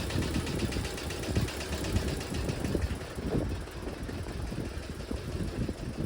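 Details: 1968 VW double cab Transporter, stored 5 years, driving: uneven low thuds through the engine drone; intermittent engine knock, source unidentified.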